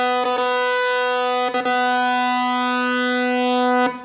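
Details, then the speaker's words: Prophet-5 Rev 3 synthesizer under restoration after decades unpowered: a held note keeps dropping out and restarting with short gaps because a dirty key J-wire contact retriggers the gate, and it stabilizes once the contact is cleaned with alcohol; key contact retriggering gate. "once it stabilizes like that it stops making that noise I'll wipe it down or stops repeating its gate"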